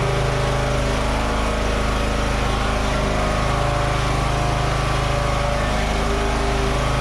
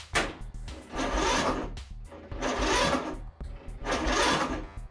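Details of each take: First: Free Toro 14.38Z zero-turn mower, previously not running with a no-spark problem, now running: a steady, even engine note at constant speed with no misses, knocks or surging. It smelled slightly smoky, possibly from external oil or burning. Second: Free Toro 14.38Z zero-turn mower that wouldn't run, battery at 2.8 V then charged: three short sluggish cranking bursts with long pauses, never catches; owner suspects low battery power or failing starter, unconfirmed.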